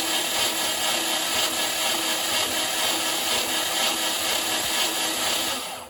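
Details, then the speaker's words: Mercruiser 470 3.7L marine engine unrun for 16 years, starter wired straight to battery, spun to build oil pressure: steady fast even crank about four turns a second, reaching about 50 psi oil pressure; normal cranking. "okay so like I say just winding over now I'm waiting that oil pressure gauge to come [Applause] up that was pretty awesome that's like 50 PS 50b per square inch PSI just off the starter"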